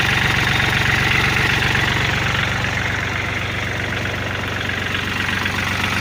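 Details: Kubota L4018 tractor diesel after fixing a no-start (starter/solenoid not working, battery suspected, terminals cleaned); steady even clatter at about four pulses a second with no misses or stumbles, normal idle.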